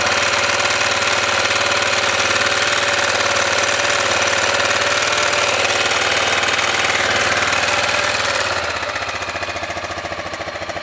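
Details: Honda NX650 single-cylinder engine knocking and smoking, owner asking the cause: rapid regular knocking about three per second over the idle, easing as revs drop; cause unknown.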